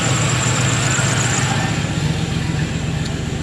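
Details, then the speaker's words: 1996 Impala SS with 5.7 LS swap, cold day: A/C clutch commanded on through the tune, and the idle holds steady and firm with the compressor loaded; idle-up and A/C blowing cold are normal. The A/C fault was in the tune. "and it's idled up as it should with the AC on, and it's blowing cold."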